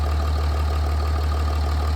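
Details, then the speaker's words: 2007 Dodge Ram after front main seal replacement, quick test run: deep, even idle hum with a steady beat and no knocks, ticks or speed wobble. Normal idle. "And you got to be careful and make sure it's in there. That's why I did a little test run on the truck."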